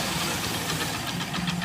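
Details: Hero Splendor Plus i3s 2019 motorcycle idling after a start: fast, sharp ticking knock over the engine note; the source is unknown and the owner asks mechanics which part it is.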